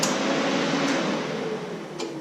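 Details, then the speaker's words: 2017 Subaru WRX STI, key in run, engine off: steady electrical hum with sharp sparse clicks about once a second; A/C compressor, interior relays and under-hood relays keep cycling, cause still being traced. "the air conditioning compressor is cycling on and off you can hear the relays interior cycling and all the relays across the top of the engine cycling"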